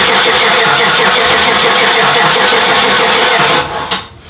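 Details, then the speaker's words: 1993 Cadillac Fleetwood Brougham V8 that sat about a decade, fresh fuel and new spark plugs, with a small replacement battery: sluggish, uneven cranking at about three turns a second that never catches; owner suspects too few cranking amps. "it seems to be cranking slower than what I'd expect I'm going to try one more time we might need a bigger battery that sounds like we are not getting enough cranking amps to"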